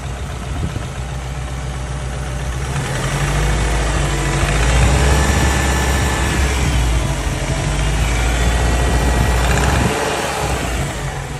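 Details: JDM Subaru WRX EJ205 flat-four idling and revving briefly with a steady rapid knock, about four a second. Rod knock, piston slap or the timing belt tensioner is suspected; the cause is unknown.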